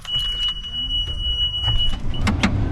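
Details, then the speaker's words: Case IH 2388 combine, annual pre-season service after fuel and air filter and oil change: with key on, a thin steady high whine of the electric fuel priming pump for about two seconds under handling noise; normal. "I'm gonna open up the fuel gate. I'm gonna turn you off. You can hear the electric pump."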